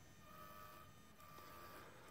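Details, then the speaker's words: DIY follow focus for a DJI Ronin MX gimbal, driven by a standard digital RC servo on a 7.4 V 2S lipo with a helicopter tail gear: a thin, high-pitched electric whine with small pitch shifts as it drives. The servo is noisy; a stepper motor is being considered. "eventually I'll probably go to a stepper motor this is this one's pretty noisy as you can hear"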